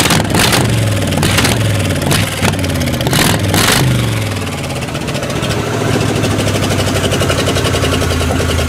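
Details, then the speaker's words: Old GM 305 V8 ("Tankenstein") warmed up during tune-up, before timing check: sharp uneven pops from the driver's/left-side exhaust about once a second; probably a cylinder not firing right, possibly cam wear; unconfirmed. "so she's running a bit bitter she's got a little popping noise coming out of the driver's side of the engine so it's probably not firing right"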